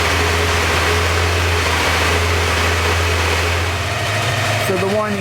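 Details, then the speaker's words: Porsche 928 V8 at warm idle, steady whine holding its pitch over the idle; owner first suspected a vacuum leak or a bearing and tested by unplugging the auxiliary air regulator, whine persisted; cause found: loose oil pump pulley rubbing the timing cover. "noise is definitely still there so I'm going to reattach the auxiliary air regulator"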